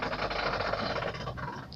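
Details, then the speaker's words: Car making turns and U-turns: a rapid, even clicking rattle from a worn outer CV joint on the front axle, fixed by replacing the axle CV joint. "आप में से अक्सर ने ये issue face किया होगा, ये जो आवाज़ आती है गाड़ी मोड़ते वक्त, जो कि अब मेरी गाड़ी से भी आ रही है, ये वाली। ये आवाज़ सिर्फ यू टर्न लेते वक्त या फिर गाड़ी मोड़ते वक्त आती है।"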